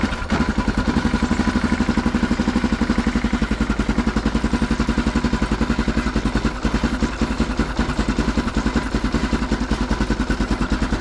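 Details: Neglected Yamaha Grizzly 660 ATV found with no antifreeze and no oil, idling outside: loud, sharp, slightly uneven popping chuff at every firing pulse, about three and a half per second. Exhaust leaks are bad.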